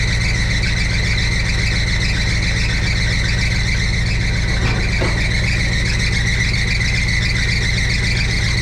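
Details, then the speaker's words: 1962 Chevrolet C10 V8 at idle, oil pressure 50, near 180 temperature, timing being adjusted; steady high squeal over rough, lumpy idle from loose alternator belt slipping, needs tightening; belts later replaced. "Gotta tighten that alternator."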